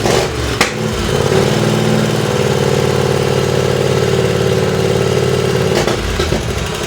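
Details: Race lawn tractor on its second run, 12° outside, being run hot: a raspy, loud bark at a fast, even beat. Despite added drilled baffles, the exhaust is improved but still too loud.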